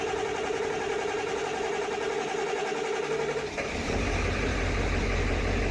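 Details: High-mileage Ford 7.3L Powerstroke diesel just rebuilt with new turbo and injectors, air in high-pressure oil after pre-crank: a few seconds cranking, then catches and settles into steady even clatter, no misses; healthy start and idle.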